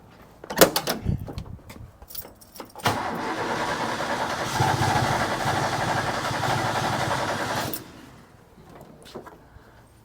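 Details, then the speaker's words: Ford bullnose truck 300 inline six with two-barrel carb, cold with choke: few seconds of steady even cranking that never fires; not enough fuel, battery dying. "Okay, not enough fuel."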